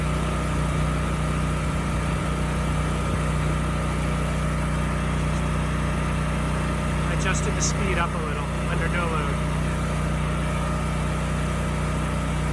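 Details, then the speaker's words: Generator model HU40500G with newly installed generator head (stator and rotor), governor screw raised slightly to about 61.5 Hz no-load, about 59 Hz under 3000 W load; steady, even engine drone with constant hum, no surging, running healthy. "okay good the engine sounds good and the power output is also good it was running a bit slow so I did turn up the governor screw just a little bit"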